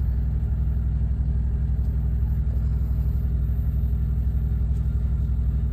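Deep, even diesel thrum at about three pulses a second that holds steady without surging or misfiring; the small APU engine is running.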